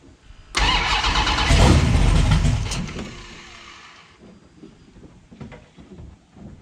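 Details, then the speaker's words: 1970 Plymouth Barracuda, newly installed 400-block 512 big-block stroker with Trick Flow 240 heads, cam, intake and new headers: catches with a roar, then the revs sag unevenly and it won't idle. Owner suspects a vacuum leak. "Alright, I got to check for vacuum leak or something because it won't idle."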